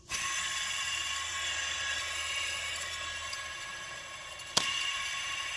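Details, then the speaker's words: Ford 7.3L diesel (1994-2003 F250-F650/Excursion) serpentine idler pulley, removed and spun by hand: loose, dry, raspy whir with a faint chirp; bearing worn with play, all pulleys shot and being replaced. "gonna say that's my bad pulley I mean they were all kind of shot"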